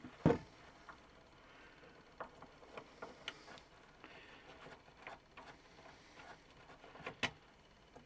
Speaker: you can hear the motor still as we took the turntable off now the motor is running down or the spring is running down powering the motor